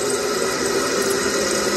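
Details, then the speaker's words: Furnace with a no-heat pressure switch fault, jumped R to W. The stuck draft inducer motor makes a loud, rough, steady hum and roar, the pressure switch opens again, and the motor quickly reaches 120 degrees; the inducer is worn out. "that sounds terrible oh man pressure switch is just opened again so yeah it's it's definitely done"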